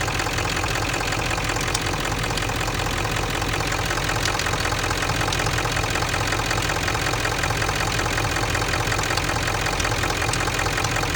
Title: What is causing the metal ticking noise on 7.3 diesel besides the typewriter noise it makes #obs